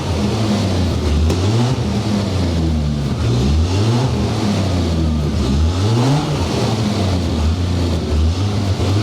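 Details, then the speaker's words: V12 Jaguar XJS first running on its own after about 18 months of ownership (it had earlier fired and died): deep, smooth note swelling and falling with repeated throttle blips, even firing throughout; normal revving. "It runs! The XJS runs! I'm so happy. Oh, listen to that."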